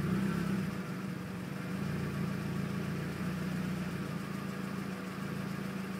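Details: 2001 Mazda Miata LS at a standstill: sporadic, hunting idle that sometimes stalls, occurring about 20% of the time. The cause was a failed MAF sensor plus a small vacuum leak at a drilled IAT relocation hole in the intake pipe, resolved by replacing and sealing them.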